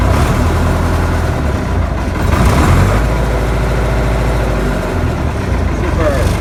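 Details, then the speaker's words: Leyland diesel tractor idling in neutral after a fuel filter change and bleeding air from the fuel system: diesel clatter settles into a steady, even idle with no stumbling or hunting; running normally. "it's in neutral it's all that I'm a professional so don't worry it's still live and uh yeah we have the tractor running so Delight with that"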